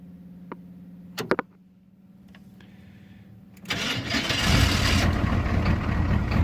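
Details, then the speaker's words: Winter cold start of a 1991 6.2 (described as 6.3) military diesel-conversion two-wheel-drive truck, unused for five days: a few clicks and a short crank, then it catches at once into a steady clattery idle. A normal start. "it started right up and this is an older truck you know it's rolled over three times"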